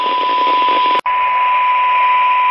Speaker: there you go there's the zx1 you've not got that crackle underneath it it's much clearer same signal different radio probably a slightly higher pitched sound of the zx1 but that cuts through better in my ears anyway